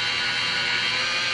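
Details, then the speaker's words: DeWalt polisher at 600 rpm pressed hard against paint: steady high-pitched motor whir with no sag or surging; holds speed under load. "six hundred rpms is pretty fast but I'm putting it on here get a motor I can't slow it down I mean as hard as you push it"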